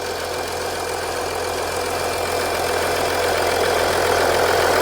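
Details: 2014 Audi Q7 3.0L after valve cover gasket replacement, no oil or fuel leaks found: smooth even idle with steady low drone, no ticking, knocking or stumbling; engine idles healthy.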